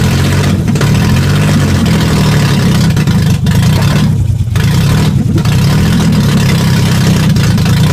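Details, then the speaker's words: Nissan 300ZX engine, restarted after the timing belt jumped and the cam gears were reset, gives a loud, uneven, lumpy, stumbling low idle suggesting bent valves; owner will temperature-check each exhaust manifold pipe to find dead cylinders. "what i'm gonna do is get it running for a decent little bit then go get underneath the car and thermometer each header or you know system and i have headers on but each manifold pipe and try to find out which cylinders have been valves"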